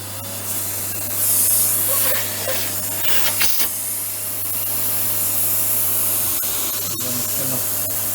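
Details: Nilfisk Elite vacuum cleaner after clearing a clogged tube (wire and debris removed): constant rushing airflow over steady motor hum, no rattling or whistling; the abnormal noise from the blockage is gone.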